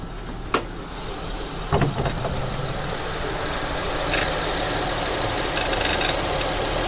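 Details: 2008 Acura TL 3.2L, about 105k miles: light, irregular rattle and loose taps at steady idle from the passenger side near the serpentine belt, starting whenever the AC fan kicks on; source not pinned down.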